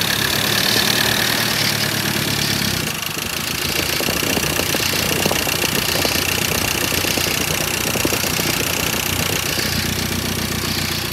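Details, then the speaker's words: 2013 Ford Ranger 2.2 TDCi, first start of newly fitted recon engine: diesel settling into idle with light fast tappet ticking over the clatter, expected until oil is round; normal, no leaks. "you're right it's going to make a bit of a should be a bit tappy until it is bone dry"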